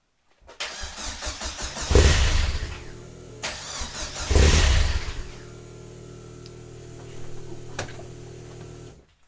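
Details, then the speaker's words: Vauxhall Nova on first start with new stainless exhaust, no boost solenoid: cranks, catches briefly on two throttle blips and dies back, then rough low idle; needs throttle to start, cold enrichment missing, faulty temperature sensor blamed. "You're Gonna Want a little bit of throttle to get it going foreign still wants a little bit of throttle still needs a little bit give us a little bit of throttle let's try again"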